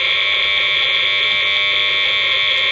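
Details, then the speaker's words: Harsh steady high buzz with a fast rasp through a noise sniffer on a second surge board claiming filtration, only a very small change from unfiltered; mains electrical noise, poor filtering. "so there is a very small change but certainly not filtering the circuit enough to do away with any of the noise that we might experience"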